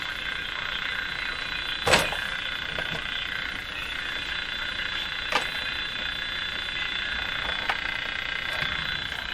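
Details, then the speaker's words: General Electric CL541A ship radio after tube testing: steady hiss with sharp irregular ticks; strong external noise signal across the band, desensitizing the radio, not a set fault. "the ticking sound that's not from the radio that's an actual noise signal coming in two minutes there so this noise signal is so powerful that it's going to be cutting back the AVC or cutting back the sensitivity it's going to desensitize the radio"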